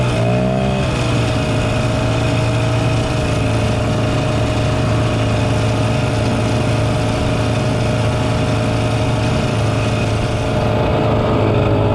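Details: 1967 Ski-Doo Alpine twin-track snowmobile, revived after sitting many years, running on its own fuel on a 75° day: crisp two-stroke buzz blips briefly then settles to an even steady note, no misses; healthy normal running.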